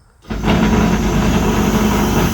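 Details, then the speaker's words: Mercedes S550 W221 Airmatic, compressor actuated via scanner active test (left rear strut): pump kicks on and hums steadily at even pitch; pump works normally, fault later traced to rear ride height sensor. "Shut it off to turn the pump off. So, I know the pump's working."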